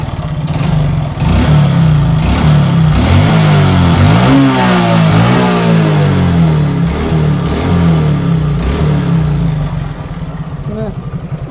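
Engine revs up and falls back with a rough, uneven knocking riding on the exhaust beat; abnormal engine noise, cause not pinned down. Cause suspected, not confirmed.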